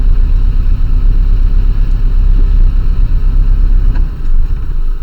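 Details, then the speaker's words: 1968 VW Type 3 air-cooled engine with original fuel injection, after fixing its hard cold start: steady, even, unbroken thrum with wind noise; runs good and has the power. "Ran good, has the power. Eep, eep, eep. Runs good, does everything I feel it needs to be doing for the surface I was in here for."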